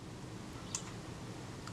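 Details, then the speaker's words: Kodak Retina IIIS during service, adjusting film release: faint click of film advance release, then sharper shutter snap about a second later; probably too much travel before firing, to be fixed by turning adjusting screw a quarter turn. "That was it, that was the click releasing the film advance. And it took a bit more travel before the shutter fired. That's probably too big a gap, and I will just adjust that screw down a quarter of a turn and try again."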